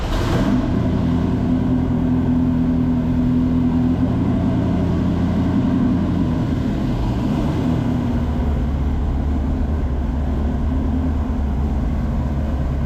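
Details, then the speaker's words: Chevy V8-swapped Porsche 935 on full Holley EFI, crossover 180-degree headers, in neutral: deep even burble idling and blipping cleanly, with flat-six-like rasp from the headers; sounds healthy. "part of the reason why this thing doesn't sound like a V8 all the way is because we built 180 headers for it"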